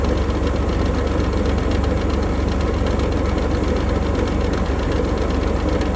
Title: Range Rover Sport 2020 P400e Rattling Noise